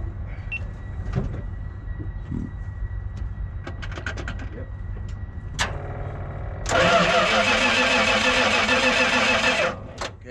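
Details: Dodge offroad recovery truck cranked on a temporary battery: starter turns the engine over steadily for about three seconds but it never fires; crank no start, no fuel.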